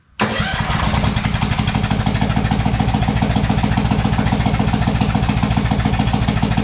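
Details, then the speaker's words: New McCulloch/Poulan Pro 452 cc vertical shaft engine in a Craftsman LT1000 tractor, first start with fresh oil and a little gas, no exhaust fitted: catches at once into a loud, rapid, even popping beat; running fine. "we're gonna add a little bit of gas to the tank and see if she'll fire it'll be loud though without exhaust"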